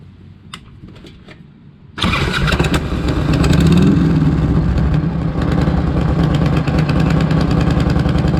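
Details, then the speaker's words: 1998 Harley Electra Glide Classic with almost 100,000 miles, very hot, started right after an oil change with 20W50 Valvoline VR1 to fill the oil filter: brief crank, then a steady loping V-twin idle with no knocks or ticks; normal idle. "Sounds good for a 1998 with almost 100,000 miles on it. She still purrs."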